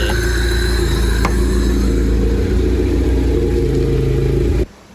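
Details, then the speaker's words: Honda EF Civic four-cylinder after swapping the DX chassis harness for the SI harness, running on an OBD0 ECU with a hybrid OBD0-OBD1 + OBD2 engine harness, jump-started in neutral: uneven, lumpy idle beat of about four pulses a second that never settles, rough idle from the unplugged idle air control valve. "But yeah, as you guys see, the car runs. It's not idling smooth just yet."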